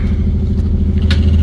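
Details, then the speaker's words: 2008 Nissan Altima coupe, 3.5 V6 with 6-speed manual, 103,827 miles, Copart car, battery dead, just started on a jump box: normal idle right after start-up, smooth low steady hum with no ticking or misfire. "All right. Oh, she started right up. Praise the Lord for that."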